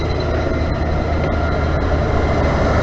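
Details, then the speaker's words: 1991 Ford F250 4x4 with 5.8 351 Windsor V8 and 5-speed manual, restrictive exhaust: low muffled idle under a steady fan whoosh, exhaust pulses barely audible, sounding unlike a V8; quiet idle with fan noise dominant. "Let's listen to the engine. All you hear is a fan. You would be shocked to know this is supposed to have a V8 in it, but it sure as hell don't sound like it."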